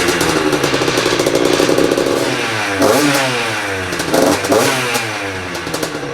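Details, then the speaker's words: Freshly built Yamaha YZ85 two-stroke with new crank, still breaking in, coolant circulating: crisp blips ring up and fall back smoothly; idles well, normal healthy running. "Seems idle pretty good. Still breaking in too, so the motor sounds good, everything sounds awesome."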